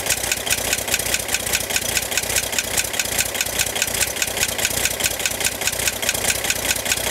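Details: 1965 Corvair air-cooled engine at idle: steady, sharp metallic ticking about two to three per second, apparently from the top of the engine near the fan; began 2–3 weeks ago and is getting louder; tightening the fan belt reduced it only slightly; cause undetermined.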